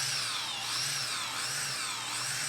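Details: DJI Mavic Mini with power system error 30210, after reflowing all four BLDC driver ICs on the ESC: a high, even whine that swells and dips smoothly with throttle; the motors now run normally.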